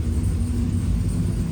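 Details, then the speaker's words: Freshly rebuilt V8 with a stage 3 cam on a stage 2 cam tune, running rich; earlier tapping traced to an exhaust V-band clamp: deep, even idle, no knocks or ticks, 40–50 psi oil pressure; healthy normal idle. "But good to go, man. Look at this. Oh, it looks good. It sounds good."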